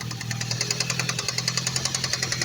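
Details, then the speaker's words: Ford Focus ST loud fast even ticking about ten per second from the top of the engine at idle; owner unsure whether injector or cam phaser, also suspects a split coil causing intermittent knock and misfire. "I just did it and I'm getting this [Music] noise it comes over here I don't know if it's an injector I don't know if it's a camp phaser"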